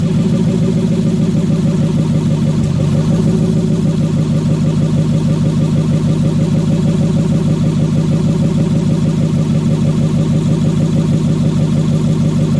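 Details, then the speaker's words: Mercedes M119 V8 at cold idle on its first start after the engine install, open exhaust manifolds with no exhaust: a loud, raw, deep idle pulsing about three times a second, steady with no knocks or misses; normal. "well i waited a year for that and it was freaking glorious all right so that was it started up that was the first cold start"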